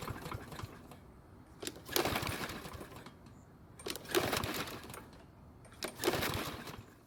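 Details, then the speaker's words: Troy-Bilt walk-behind mower after cleaning and lubing, pull-cord reading 1.1 kg; three recoil pulls about two seconds apart, each a rattling whirr that never fires; won't start, and the air filter is to be checked next. "it's still not wanting to start just like before so I'm going to take off the air filter to see if it might be the issue"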